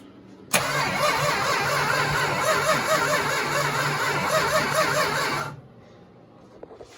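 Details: 1969 Dodge Charger 500 barn find, dormant 27 years, new plug wires and thermostat, gravity fuel feed: starter churns steadily about five seconds with even rhythm but never catches; cranking, no start.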